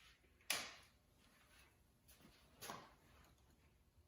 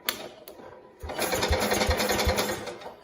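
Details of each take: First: 1969 Cub Cadet 105 with a chronic hard-start problem, ignition newly grounded: steady cranking with regular compression thumps under two per second, never catches; cranks without firing. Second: 1969 Cub Cadet 105 single-cylinder with a long-standing hard-start problem, hydrostatic transmission pump pulled: starter spins it freely and quickly, about three and a half even compression beats a second, no drag; much easier cranking than before.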